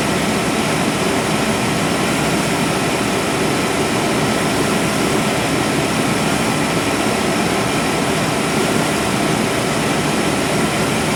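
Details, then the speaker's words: 1997 GMC 1500 5.7L Vortec V8 running after fuel pump and plugged canister fuel filter replacement: steady, even note with only a faint flutter left, a lot better than before; normal running. "well the fuel filter was definitely plugged got a little bit of flutter but i don't know that i'm going to worry about that too much"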